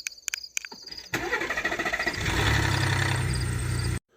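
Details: Cold-start rattle from a failed cam phaser on a 2018 Ford Expedition: a harsh, clattering rattle as the engine cranks and catches, settling into a rough run.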